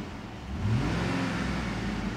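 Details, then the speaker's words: 2007 Chevy Tahoe LTZ 5.3L after repairing P0641 shorted 5V reference circuit, codes cleared: engine idles, then revs cleanly and holds higher revs when throttle opens, smooth and even; normal throttle response. "now let me press the the accelerator and you will hear the uh hear the engine Rev there you go"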